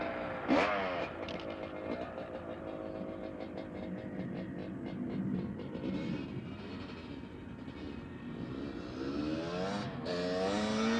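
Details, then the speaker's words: 1985 Honda CR250 two-stroke after engine rebuild for low compression (honed barrel, new piston, crank seals), ridden up the road: distant buzz climbing through the gears, crisp and unbroken; runs well. "okay so she sounds good it goes through the gears"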